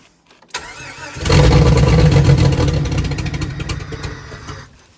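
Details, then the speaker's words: 90s Jeep found partly stripped, fuel pump removed from the tank: brief cranking, catches and revs, then loses power over a few seconds and dies; no pump heard at key-on, no fuel delivery. "run when you turn the key you can't hear the fuel pump like if I click the key no fuel pump"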